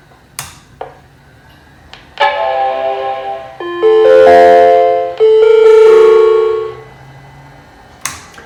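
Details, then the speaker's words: Macintosh LC-series computer at power-on, an unmarked SIMM (possibly ROM, VRAM or cache) being tested: a short, weirdly distorted chime arpeggio, the sad Mac chimes of death. Cause unconfirmed; owner suspects it needs a recap. "Okay, so it's still making the sad Mac noise. The noise is weirdly distorted."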